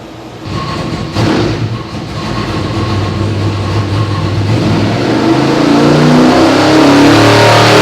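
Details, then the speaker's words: 632 big-block V8 on a dyno, nitrous pull tuned conservatively with an extra 5–6 degrees of timing pulled and lots of fuel. It pulls hard, then bogs and flattens as the nitrous hits before climbing again; it stumbled far too rich. "What we have here is it did kind of stumble on its face really fat right whenever the nitrous came on, which I was being extremely conservative, pulling an extra 5 or 6 degrees from where we really should end up, and throwing a lot of fuel at it, being really conservative,"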